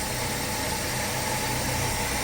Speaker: okay well after a little a couple of little spits and sputters it did fire up and run it is running quite nicely and uh no leaks down here